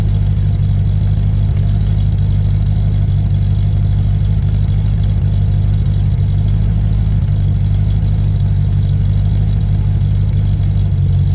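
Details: Land Rover Discovery 1 3.9 V8, first start after about 18 months standing, oil pressure primed first: deep, loud, steady idle rumble with nothing muffling it, because the centre exhaust silencer pipe is missing.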